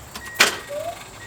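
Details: Mazda Miata after replacing failed fuel pump with DW100 pump: relay click and faint steady high whine at key-on, then stops; pump primes normally and car then starts.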